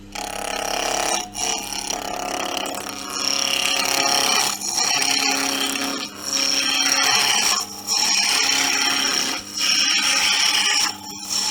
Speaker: I always say with with turning it's not just seeing how the shavings come off it's actually you can actually hear it you get that lovely hissing sound um and there's no stress on the machine and and the operator